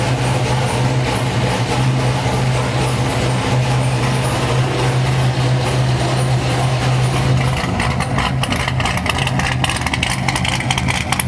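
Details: Corvette C6 V8 idling on first start-up after a failed-lifter replacement, warming past 220 with air in the coolant; even, smooth low hum with no top-end ticking or tapping: valvetrain healthy after repair.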